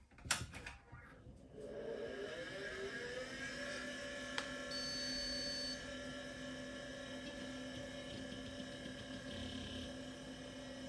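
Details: Osborne 486 DX2/66 PC, used in a business and fitted with an ISA network card and a sound card, switched on: a few clicks, then the fan spins up to a steady low hum with a faint whine. Normal power-on.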